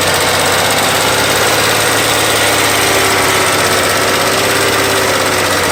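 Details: 2001 VW GTI Mk4 VR6, swapped engine with 120K miles and timing chain done. A steady light tick rises with revs, heard at slightly raised revs; collapsed hydraulic lifter on the intake cam that wore its cam lobe down, shift rod bushings fine.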